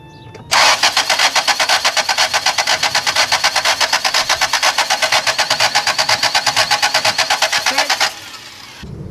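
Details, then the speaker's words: 1978 Toyota Corolla, stock 1.6 L 2TC engine converted to Holley Sniper EFI throttle-body injection, first start attempt: starter cranks evenly about two turns a second for seven seconds, never fires; fuel pump shut off and no signal to coil. "We still got no fuel pump. Fuel pump shut. Fuel pump shut off. Stopped running."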